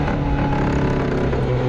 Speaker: they've also got issues listen to that big misfire on that nissan center right in the closing stages